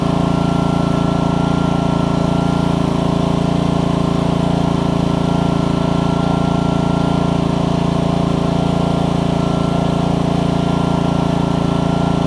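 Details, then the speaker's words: Troy-Bilt pressure washer with Honda GCV160 on a new HiPA carburetor, pump running after an obstruction was cleared by repeatedly pulling the trigger. Owner thinks it no longer makes 2600 but about 1500–1600. Even, firm single-cylinder drone pulling the pump load cleanly, no surging. "and it's not finding up anymore which is great and it has just got a d i don't think it's got 2600 on it anymore but it's probably got about 15 to 16. but he is it's running good"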